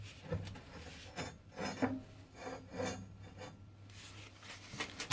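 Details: The left front suspension of a Lada Granta gives a quiet, dry squeak about once a second as the car is rocked. A pry bar set against the ball joint confirms the source. Worn ball joint squeak.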